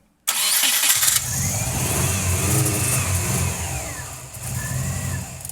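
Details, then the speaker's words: Subaru boxer engine, first start after WRX turbo conversion: starter spins it steadily for several seconds without catching; crank no start. "It doesn't want to. Is the engine no? >> No, I know what it is."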